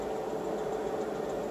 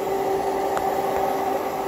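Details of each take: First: Inverter on a DIY 18650 7s 29.4V power wall under heavy draw, with about 45A through the shunt near the low-voltage limit: a steady, coarse buzz over a constant mid hum as it struggles to up-convert from 20V, which is normal. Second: Inverter powered by a DIY 18650 7s (29.4 V) power wall under heavy load, about 45 A through the shunt: steady mid-pitched buzz as it strains to up-convert about 20 V near the low-voltage cutoff; considered normal.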